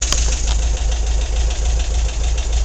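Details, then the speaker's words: Volkswagen engine at low idle, oil level fine; sharp regular clacking down on the right-hand side of the engine, keeping time with engine speed, louder than its usual noise; cause not yet found. "I'm not sure how well you can hear that but there's a clack down in this corner and I got to figure out what it is"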